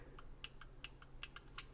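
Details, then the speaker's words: EIG four-barrel .22 derringer shaken while held: light dry clicks about four a second as the barrel rattles from lateral play, the same play and gap that lets powder burns reach the shooter's skin. "you're carrying the gun you can kind of hear it rattle a little bit and so there's lateral play"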